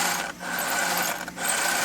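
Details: Traxxas UDR rear differential after rebuild with new planetary gears, spun by hand: light, smooth gear whirr in two pushes with no grinding or catching; gears mesh cleanly.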